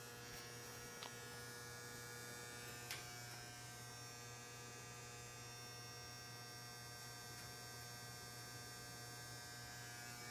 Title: The Buzzing Noise!